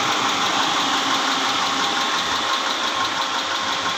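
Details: 2010 Mitsubishi Pajero 6G74 V6 at clattery idle with a steady tapping knock about three per second inside the engine; cause not yet pinned down.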